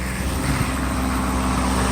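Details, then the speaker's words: Mercedes S600 V12 after retightening loose spark plugs on the LH2 bank and mass air flow work; started right up, minor rpm fluctuation, then smooth, steady low hum with no misses, knocks or hunting; normal idle. "Initial start was good. It actually started up just right, like by listening of the actual initial start. RPM fluctuations can happen, that's okay."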